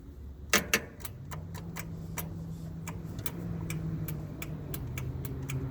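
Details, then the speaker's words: Craftsman with a battery moved over from the Gilson: two sharp solenoid clicks and no cranking, then a faint hum and light ticking, caused by a loose battery terminal; it cranked once the terminal was tightened. "Hear the solenoid. Trigger these tight. That's tight. Woo, this one's loose."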